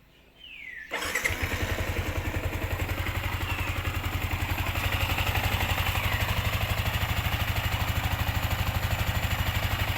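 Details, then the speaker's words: Sniper 155 after replacing both worn camshaft bearings (6001); fires up cleanly and settles into a steady, even single-cylinder thump around three beats a second, with the ticking from the head gone. "hilom na ang makina no wala na saba kagot okay na kayo Okay na."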